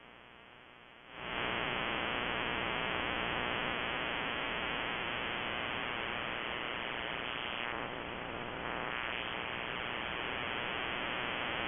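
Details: Shortwave ham receiver swamped by a loud, constant broadband RFI hissing buzz. It persists with the house main breaker off and is on a timer, stopping at 7:31 pm nightly and returning in the morning. Owner wonders: grow light or powerline?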